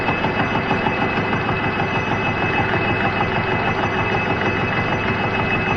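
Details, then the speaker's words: Machining: steady drone with a regular thump about three times a second as the cutter hits a hardened weld each pass. "so yeah you can really hear the thumping as that hardened weld comes around"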